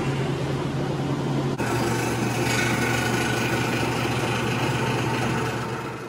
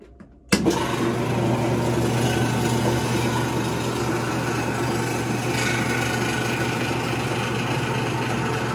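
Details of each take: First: Maytag washing machine after repair, cleaned out with compressor and shop vac and reassembled: steady low hum and even swishing, no squeal at all; it sounds healthy, squeak fixed. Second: Maytag washing machine running: loud steady motor drone with a constant low hum and faint thin whine; a noisy washer squeal, cause not confirmed in this clip.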